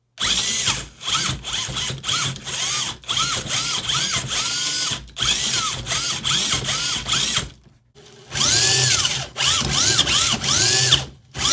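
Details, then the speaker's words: Superlite RC crawler with stock gear drive, baseline noise before belt drive kit comparison: loud high-pitched gear whine in bursts rising and falling with throttle; normal gear drive whine. "and then we'll take it outside and see what it's got with the gears let's get a baseline for just how loud it"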